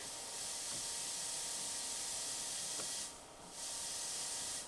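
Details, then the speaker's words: Old quadraphonic 8-track player after cleaning the pots, no cartridge playing: steady loud high-pitched hiss through the speakers, briefly dipping twice; unclear which speakers produce it. Speaker hiss. "So, which ones are we getting a hiss from? I'm really not sure."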